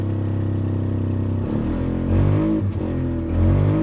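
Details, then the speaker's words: Mazda RX-8 Shinka rotary at Copart, hard to start with a risk of flooding, catches but runs unevenly with the speed sagging and surging, as if not firing on all rotors; cause unconfirmed. "oh she's not running well at all not well at all ooh um on a normal car i would say she's not running on all of her cylinders this one's not running on all of its ports that's for damn sure"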